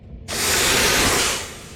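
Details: Ural 4320 logging truck. A sharp, loud hiss bursts out for about a second as the brakes are pressed, then fades: air escaping from a holed air brake hose.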